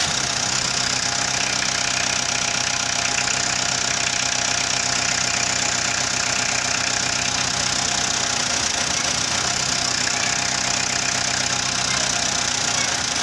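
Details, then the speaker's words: Renault Kangoo diesel idling steadily with a faint uneven beat, faltering when the injection advance valve loses its control pulses; oscilloscope on the advance valve shows intermittent misfire from advance signal dropout. "Cuando falla el motor es porque se cortan los pulsos del avance."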